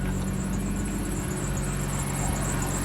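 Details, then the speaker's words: 2003 Chevy Trailblazer LT that sat about two years, with the AC compressor switched off and old fuel still in it. Low, steady idle with an even pulse and no misses or knocks: runs fine. "got the ac compressor off she starts well no dash lights except for well airbags and stuff she starts and runs"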